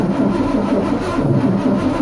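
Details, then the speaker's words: El Camino not run for 23 years, in neutral, cranked to move fuel: rhythmic starter churn, roughly four to five compression beats a second, never catches; cranks but won't fire, possible clog suspected, not confirmed. "okay all right Brandon I need you to crank on our guy I want to see if we can move some fuel"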